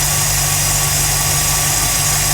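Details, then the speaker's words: 1969 Mercury Monterey V8 with a Holley 4412 carburetor, new belts and a rewired, previously misbehaving choke. On a cold start after two pedal pumps it lit right off and holds an even, slightly high choke fast idle with no misfires. "gave her two pumps and hit the key and she lit right off and is that a sort of high idle i mean not too crazy because i don't want a reverend of the moon"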